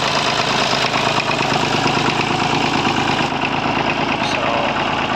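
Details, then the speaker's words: 1950s Massey Ferguson 35 three-cylinder diesel warming up at cold idle: intermittent stumbling beat, same cylinder missing with a different crackle, gone when warm; owner suspects a small blockage in the injection pump. "And there she is running clean now, and then she starts back at it for a second. When it warms up, that's gone. It's strange. There's a different crackle off the engine when it's running like that as well."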